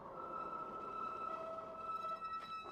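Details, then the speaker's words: Meebike Gallop e-bike with a 750 W motor, hard braking from about 24 mph; steady high squeal near 1.3 kHz with a lower tone joining, lasting the whole stop despite adjustments; brake squeal. "and yes you can already hear that the brakes squeak a lot so I did some adjustments but they are just squeaking"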